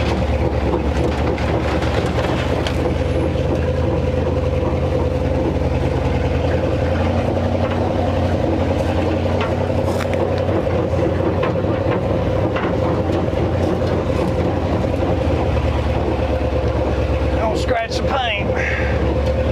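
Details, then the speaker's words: 1957 Viking truck abandoned over 50 years, first drive out at crawling speed in low gear: fast rhythmic clatter like a choo-choo train over a low engine drone, from a worn driveshaft carrier bearing. "Hear that carrier bearing. It's all open road from here. Drive shaft sounds terrible. Sounds like a choo-choo train coming down through here."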